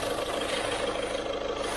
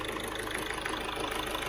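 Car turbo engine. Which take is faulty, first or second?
first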